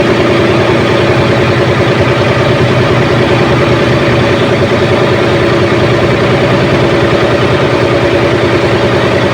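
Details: Ship's diesel generator engine at 1,150 rpm with the coupled air compressor engaged and charging its tank quickly. Steady running with an even pumping beat and the earlier abnormal noise gone: normal compressor charging.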